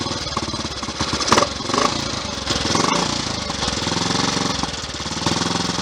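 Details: Triumph Tiger Cub single on test ride after misfire fix (cleaned blackened spark plug, drained float bowl, blew through jets, checked fuel line): steady even beat rising cleanly with throttle, no misses or stumbles; running properly.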